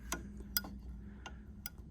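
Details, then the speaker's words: Reassembled rip fence locking lever on a Sicar panel saw, with ball, spring and grub screw tension set: crisp, distinct clicks about every half second as the lever snaps in and out of its detent. Normal detent click. "so you can hear it clicking in and out and if you want that to be a bit tighter yeah you can just wind this in"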